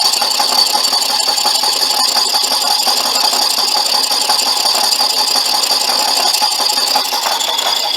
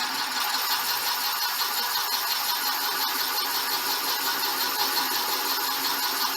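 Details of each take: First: Boring out the brazed-repair cylinder bore of a '59 Flathead engine: harsh, uneven high-pitched rattling once or twice a second as the cut becomes intermittent; boring bar chatter on an interrupted cut. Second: Boring a '59 Flathead cylinder with the boring bar reset to just touch the bore after the earlier judder: steady even cutting hiss with no pulsing; smooth cutting without chatter.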